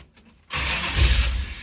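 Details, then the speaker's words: V8 Chevrolet S10 with a freshly installed fuel system. The starter whirs, then the engine catches only feebly, lumpy and weak, with only one cylinder hot. Misfire. "It's trying to come alive, as you can tell. The smell is great. But it's literally firing on one cylinder. Only one cylinder is hot."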